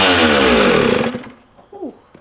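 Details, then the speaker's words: Two-stroke dirt bike, just rebuilt from parts: screams at full throttle with no idle, then winds down when cut; owner unsure of the cause and tries backing the idle screw out, also suspecting rich running or a stuck float. "Holy crap. Okay, so that thing is just going full throttle right away."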